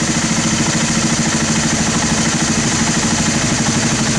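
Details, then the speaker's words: Honda TRX300 ATV single-cylinder, carb cleaned after sitting 5 years, idling slow and loping as the pilot/mixture screw is backed out too far: rich idle mixture drops idle speed; set between lean and rich drops where idle is fastest. "there you go now you it dropping that means it's getting rich so then you want to kind of find the middle ground there where the idles the fastest"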